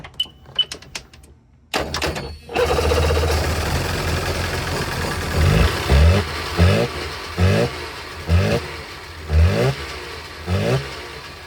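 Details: 2003 Sea-Doo GTI RFI two-stroke on jump box, after attempting to reseat the injector connector's black wire: starts after a few cranks, then runs lumpy with a heavy irregular thud about every second; one cylinder still dropping out, wire still not seated.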